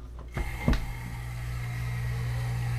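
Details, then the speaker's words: Newly installed Taco 007 hot water recirculating pump on a residential water heater, first run: start-up clunks, then a steady low hum with a faint airy hiss as air passes through. Pump running smoothly with water flowing. "a nice sound it sounds like it's running feels like it's running and I can feel water and I can hear as it were some air in there"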